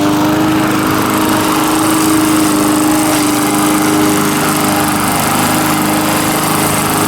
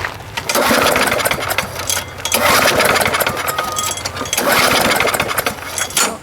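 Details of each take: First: Small single-cylinder mower engine, earlier a no-start, now running, with the muffler loose and flopping: steady, even high-speed drone with no misses or surging; running healthy. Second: Lawn mower no-start, before repair: repeated pull-cord cranking bursts with only brief catches, never running; no spark, plug wet with gas and possibly dirty.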